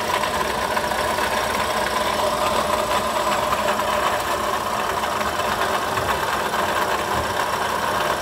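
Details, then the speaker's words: Toyota Sienta idling with customer complaint of rough engine-area noise; steady gritty rasp dominant around water pump and alternator, no knock rhythm; oil level and quality fine. "suara kasar lebih dominan di area water pump dan alternator ya"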